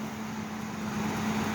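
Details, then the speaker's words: Ford Explorer running: steady, even hum with a constant mid-pitch tone and no knocks or squeals; sounds good. "I'm going to get this Explorer going. Sounds good. [Music] Sounds really good."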